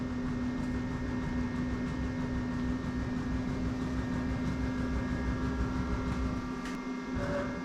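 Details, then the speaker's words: DMM AC servo on the X-axis ball screw of a DIY CNC mill, during drive auto-tuning with the torque filter on standard: quiet steady hum with a faint even tone, no grinding or clicking. Much quieter and smoother than the old steppers; normal. "I can already tell these motors are going to be so much more quiet. Incredibly smooth too."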